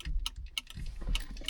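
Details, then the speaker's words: 1978 Dodge Monaco: sharp, irregular clicks a few times a second under the dash from the horn relay, constantly energized by a stuck horn switch in the steering column even with horns unplugged, slowly draining the battery. "I think that's what's wearing down the battery is the horn relay is constantly energized."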